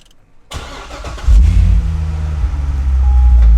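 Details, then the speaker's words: Wrecked C6 Corvette Z06 with a manual gearbox and 17,030 miles starts after a fresh OEM intake manifold and a replacement fuel tank/pump. Brief crank, clean catch, then a deep steady idle; oil pressure good, coolant warming up, a healthy start. "Oil pressure and everything's good. Coolant is coming up to temp."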